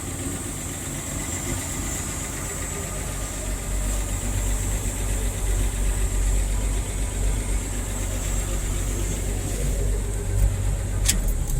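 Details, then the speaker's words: 1978 Ford F100 project truck, odometer 31,000 though believed about 80,000 original miles, idling: low, even rumble with a steady beat and no knocks, ticks or misses; engine and transmission healthy. "the engine and transmission is definitely good"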